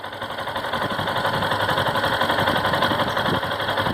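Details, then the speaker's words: 2018 Factor 150 single-cylinder with 6,000 km, idling: quick, fairly even light tapping, about four per second, a woodpecker-like top-end tick; owner was told it may be the cam chain, not confirmed. "e aí falo desse barulho aqui ó parece corrente de comando me falaram algo assim parecido com o barulhinho peça um pau"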